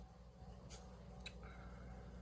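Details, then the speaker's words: Commodore 4040 dual disk drive on a PET 8296 doing a full BASIC 4.0 backup copy: quiet steady motor hum with soft spaced clicks as both heads step one track at a time; normal head stepping. "sort of, or both heads are moving, one track at a time."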